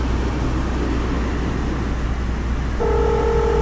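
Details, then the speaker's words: 2005 Subaru, jump-started and push-button started: engine idles steadily, then a steady stacked electronic tone as the car's emergency call unit dials out to emergency services. Emergency call dialing tone. "call connecting to Subarus darling emergency services wait what all may be recorded or monitored whoa why any purposes I don't know"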